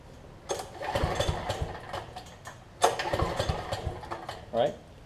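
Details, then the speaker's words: Troy-Bilt generator with a no-spark fault traced to the low-oil sensor module, after reassembly without the gas tank: two quick runs of even recoil pulls turn the engine over cleanly with no more scraping sound. Smooth recoil starter pull. "i'm going to pull this pull rope you'll hear that there's no more like scraping sound whenever you try and pull up"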